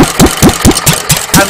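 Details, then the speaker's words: Unrestored Petter A1 stationary engine, governor working: slow chuffing tickover about five beats a second, slightly uneven; slow-running screw not yet adjusted, opening it a bit should even out the tickover. "slow running screw can be adjusted to even out the kick over you just open it up a bit and that would even out The Tick over but I've not got that far on this engine yet"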